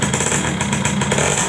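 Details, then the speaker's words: Yamaha F1ZR two-stroke, stock engine, idling with clutch lever pulled before teardown: harsh fast rattling clatter over a raspy idle, rumble from the middle; noisy clutch basket, worn clutch plates. "kopling ini berisik di bagian bunyi epiphone ini vitalnya berisi perintah naik sama eh gemuruh di tengah ya"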